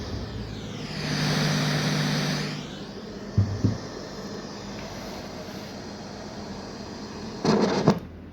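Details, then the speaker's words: Audio mixer with its channel switches bypassed by soldering: pressing a switch up, even on an unused channel, grounds the signal, giving a click and then a rising hiss with low buzz that fades. "เพราะว่าสัญญาณมันถูกดึงลงกราวนะครับมันจะทำให้เสียงซ่าแม้แต่ช่องที่เราไม่ได้เสียบสายสัญญาณก็ห้ามกดขึ้นนะครับ"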